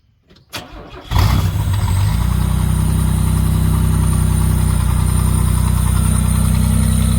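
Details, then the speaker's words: 1987 Pontiac Fiero GT with newly built custom exhaust: silence, short crank, then catches and settles into a deep, even, steady exhaust burble; healthy start and idle. "give it a little bit so that is a running 87 Fiero GT with custom exhaust"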